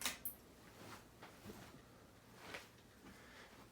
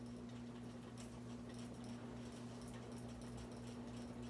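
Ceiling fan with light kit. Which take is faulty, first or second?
second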